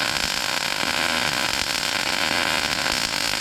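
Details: A MIG weld run with the swirl/circle technique (small forward loops, 3/8–1/2 inch stickout, gun pushed slightly ahead) gives a steady, even crackling hiss like frying bacon with no pops or sputter. A stable, well-set arc.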